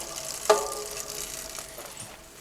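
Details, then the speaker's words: Giant Cypress hybrid bicycle during a tune-up: a single sharp, tonal squeak from the drivetrain, a dry derailleur that is then sprayed with a one-step cleaner and lubricant. "five star brake adjustment let's do that derailleurs you can hear the squeakiness"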